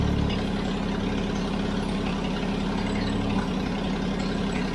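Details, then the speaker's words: Toyota FJ40 Land Cruiser first start after purchase, throttle stuck, no choke, no oil pressure shown on gauge: steady low, gruff idle with a raw, loud, unmuffled exhaust rumble; big hole in the exhaust. "and the exhaust like you were hearing was that right there there's a big hole i don't know if you can see that there's a big hole in the exhaust right there"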